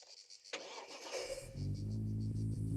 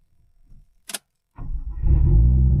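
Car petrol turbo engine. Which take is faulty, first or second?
first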